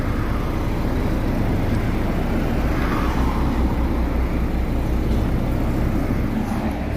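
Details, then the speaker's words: Exhaust of a car with propane system running on gas: steady, even low rumble, smooth pulse, no stumbles; previously rpm hunted and shook. "Mana gulishtilimiz tiniq ishlayapti. Tiniq havo chiqyapti."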